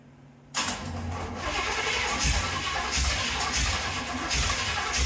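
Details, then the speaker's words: 1931 Ford Model A coupe on carburetor swap: cranks, catches briefly with uneven chuffing, then dies instead of idling; owner suspects choke or an unfound vacuum leak. "hey it started and it ran I mean it started and it ran um you know and then it did its Clyde signature move dying right away but I mean that could be some of the choke and there still could be a vacuum leak that we haven't found"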